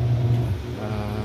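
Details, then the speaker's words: Besat fully automatic washing machine after repair, spinning with no load: steady low hum with an even, unbroken spin and only slight vibration; it now spins continuously and normally. "tuloy-tuloy na siya ngayon Oh nagspin na siya at i-update ko kayo sa susunod ulit"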